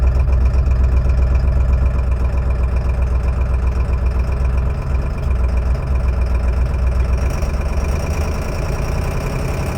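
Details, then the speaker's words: 2002 Ford F350 7.3 diesel at about -4°C, after a cranks-no-start fault with a failed cam sensor: heavy idle clatter with a recurring skip about four a second. Owner suspects a bad glow plug or injector. Idle misfire. "kind of missing it I think it has a back low plug about minus four Celsius today"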